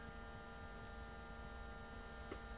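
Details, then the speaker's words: Home-built electric car at key-on with main power off: a steady hum with a fine high buzz from the 24-volt main contactor in the rear; a 28-volt contactor is planned to cure it. "if you can hear that buzzing noise that's my contactor in the back of the car back here buzzing away I thought I'd let you hear this good that's my 24 volt contactor"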